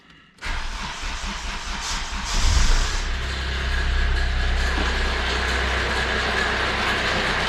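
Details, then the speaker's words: 2005 Kia Rio CRDi diesel, customer complaint of strange engine noise: starts and idles unevenly with a rough clattery rattle; mechanic suspects a badly stretched timing chain, to be replaced with new guides and crankshaft seal. "compañeros muy buenas otra vez estamos con un nuevo caso que es una guía de río ésta es de año de 2005 es un motor crd y el cliente me lo ha traído porque el motor suena raro tiene un ruido extraño ahora se lo voy a demostrar war on card"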